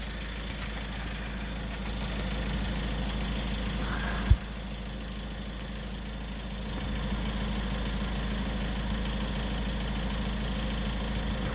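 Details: VW T6 Transporter twin-turbo diesel idling with a coarse, uneven low rattle and no performance from twin turbo failure; oil filled the back of the turbo and clogged the DPF, which needed cleaning.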